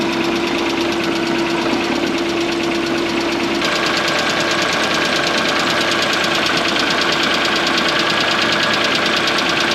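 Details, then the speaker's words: Mk1 Ford Fiesta fitted with a Zetec engine, idling after an oil and oil filter change: a light, quick top-end tapping of about two per second persists unchanged; owner suspects valve clearances and plans to recheck them. "well that didn't make any difference so I might have to recheck the valve clearances then and see if any of them are different"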